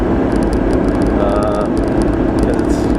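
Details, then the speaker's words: Carbureted (Weber) vehicle cruising about 45–50 mph near 2,000 rpm on a back road: over the steady engine drone, a light fast metallic rattle from the transfer case shifter that stops when touched; cause unknown. "you probably hear I got my uh my transfer case shifters rattling I'll let go here and you'll hear it hear that little rattle I'll touch it and it'll stop I don't know what that is so I'm going to try to fix it"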